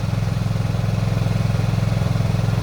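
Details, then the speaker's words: Suzuki Burgman 125 scooter just restarted after fitting the belt pulley/roller, belt and clutch bell: even, steady low single-cylinder thrum at idle with regular pulses, no rattle or slap, no suspicious noise; runs well. "Bon, ça a démarré, nickel. Ça tourne bien. Il n'y a pas de bruit suspect. Ça tourne bien, nickel."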